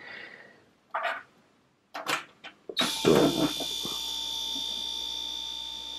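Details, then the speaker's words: Second 775 DC motor, 12V, drawing about 100 mA: steady high whine with a faint buzz after a few taps; sounds noticeably different from the other motor. "let's connect it together you guys gonna see that I'm gonna hear that geez the noise of this motor is quite different if you compare this one"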